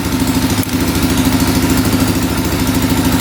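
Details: 2004 Yamaha Raptor 660 single-cylinder quad, after the problem was fixed (now must be shut off manually): steady even thump at idle about three beats a second, no misses or knocks; healthy.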